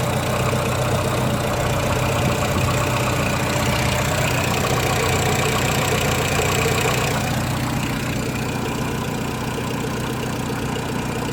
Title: Megane 1.4 engine knock